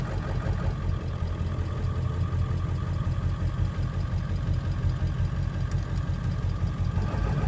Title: Rough Idle